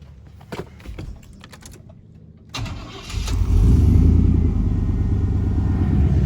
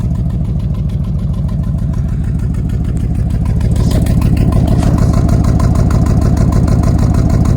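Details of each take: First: 1990 Chevrolet C2500 after replacing bad, poorly fitting spark plugs and wires; short crank, then starts and settles to a smooth even idle with no skipping, much better than before. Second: 1990 Chevrolet C2500 V8 idling, oil burning off the manifold, timing already checked; faint regular stumble about three times a second, a skip felt more in gear.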